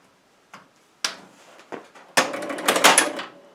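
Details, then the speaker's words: Aztec electromechanical pinball after a fried coil from a stuck ball: crisp relay clunks and a quick burst of mechanical chatter as it resets, no buzzing coil; healthy start-up. "So that sounds good."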